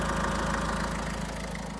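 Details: Renault Trafic diesel van, nearly 240,000 miles, belt refitted: idle with a constant whirring hum over the clatter; first thought to be the power steering pump, traced to a worn bearing in a recently fitted replacement alternator.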